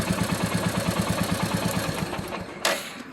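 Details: Royal Enfield BS6 J-platform J1-series single-spark engine (Meteor/Classic 350 type), misfiring after riding in rain, checked with Royal Enfield diagnostic tool: uneven stumbling single-cylinder idle about three beats a second before dying; misfire from corroded, partly blocked spark plug cap.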